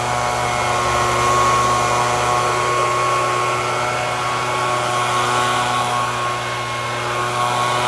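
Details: FUXTEC FX-LBS126P leaf blower (2018) that would not start, after replacing a cracked fuel intake hose: small two-stroke holds a steady high-revving buzz with a constant whine, no stumbles or surging, pulling cleanly at throttle.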